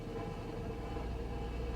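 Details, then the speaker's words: Small vehicle at salvage auction, idling rough: once in gear a coarse uneven rumble like rocks in the automatic transmission, quieter in reverse; suspected low fluid, unconfirmed. "that sounds like rocks inside of the transmission or something man"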